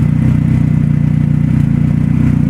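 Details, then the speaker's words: Engine running E85 on stock ECU and injectors, O2 sensor fitted, solid mounts: steady even low idle hum with no ticking or tapping; engine sounds healthy, though fuel pressure reads a little low. "But it sounds good. I mean, there's no ticking, no noises to this"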